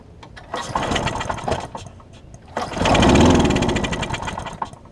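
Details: Husqvarna mower with aluminum deck and transplanted engine, cracked gas tank, gummed carburetor, throttle not working, run on starting spray: sputters in short bursts, swells briefly and fades; fuel starvation from gummed carb.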